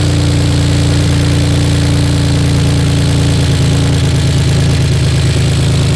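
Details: BMW E46 drift project car, just bought; low idle with uneven stumbling beat, one cylinder dropping out after clearing codes that included cylinder 6 misfire; misfire at idle not present when first driven out.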